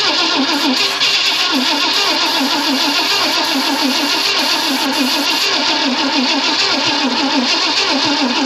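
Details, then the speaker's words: 1965 Ford Thunderbird off the road since 1986, after condenser work and with gas and starter fluid poured in: steady fast starter cranking with no catch after it started once. Owner suspects a weak battery. "why'd you start once and now you won't start again damn it I think my battery's about let me go get my jump box"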